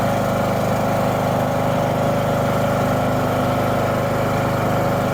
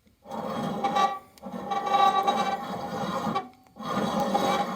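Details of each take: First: Husqvarna LTH 18538 riding mower after steering overhaul and deck patch: single-cylinder engine fires right up and settles into a steady, even run with no knocks or misses; normal running, clutch and blades work fine. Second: Husqvarna LTH 18538 riding mower deck spindle spun by hand: gritty rasping grind in three bursts from a worn-out spindle bearing, whose vibration likely cracked the deck.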